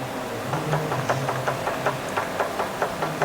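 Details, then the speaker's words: Proton Exora CPS that shakes when first driven off: quick, regular metallic knocks, about five a second, over engine idle hum from play in a worn, loose inner CV joint of the driveshaft. "Okey untuk kes-kes macam ni sebenarnya simptom dry sharp kepala dalam tahu kita boleh tengok eh ni dry sharp ni yang kepala dalam saya tunjuk ni cuba tengok betul-betul eh"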